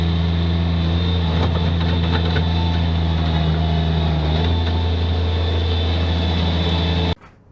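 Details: Bobcat MT85 mini track loader with a full bucket, the day after replacing the belt tensioner that caused a squeal under load; steady, even engine drone with no belt chirp or squeal; normal running under load.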